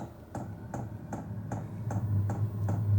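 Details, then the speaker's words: Vevor diesel air heater starting up in DC mode on a Noco NLP20 lithium battery: steady, sharp fuel pump clicks of about 2.5 per second over a low hum. Normal and quieter than expected. "So, you can hear it ticking, but it's not loud. I thought that the sound would be really loud,"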